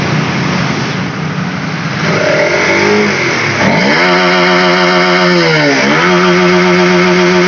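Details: Honda CB150R that wouldn't rev fully and had lost power: engine revs up and settles twice, rising and falling cleanly with throttle, no stumble or hang-up.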